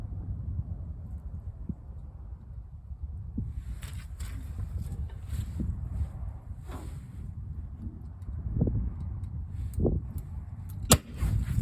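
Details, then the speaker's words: 70D tractor with spark restored: low, uneven churning of a slow crank with scattered knocks, then one sharp loud pop near the end; backfire while cranking. "Woo! Did you hear that? Sparkage. Again, see what happens. I haven't had a backfire like that in a long time."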